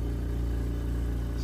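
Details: Invacare Perfecto 5-liter oxygen concentrator just switched on, green oxygen light lit: low, steady pulsing hum at an even rate with no rattles or squeals; compressor running normally.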